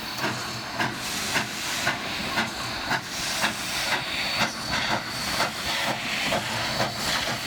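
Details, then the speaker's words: Nevada Northern Railway steam locomotive; exhaust steam through the smoke-box venturi blast pipe and up the stack, each chuff from a cylinder release; crisp evenly spaced chuffs about two per second over steady hiss; normal. "this then shoots steam up through the the smoke stack and gives us that lovely chef sound that most of us associate with steam engines"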